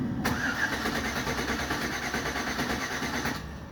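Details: 2008 Chevrolet Silverado, suspected bad fuel pump: no prime at key on, gauge at zero; steady starter churning about three beats a second for several seconds until pressure builds and it fires, pressure bleeding to zero at key off.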